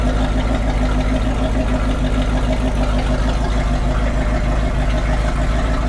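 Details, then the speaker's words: MerCruiser 7.4 L 454 big block V8 marine boat engine, running on gas at least two years old, no heavy smoke; deep even burble, no knocks or misses: normal idle. "I can't believe how well it's running it's not smoking like crazy it sounds good it's even burning old gas"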